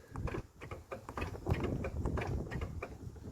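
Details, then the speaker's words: 2019 RAM 1500 pickup with bed topper, rear tailgate: dull, irregular clicks and clunks as the handle is pulled, the latch can be heard releasing, but the gate will not open; latch fires without releasing. "And I'm pulling. You can hear the latch going off, but it will not open."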